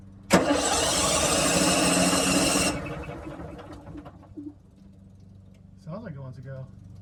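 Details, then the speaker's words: RV generator that has not run in a long while, tried after installing new batteries: the starter spins it quickly for about two and a half seconds without catching, then goes quiet; it cranks but won't start. "that's the good news is that it's turning over it's not starting it's been a while since thing started"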